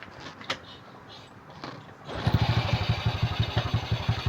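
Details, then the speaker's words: Rusi/SYM small single-cylinder scooter that would start then die, after a new CDI was fitted: it catches and settles into a steady, even putter of about three beats a second; normal running. CDI, ignition coil and spark plug were faulty. "Ayan kita niyo umandar na. So umandar na siya guys."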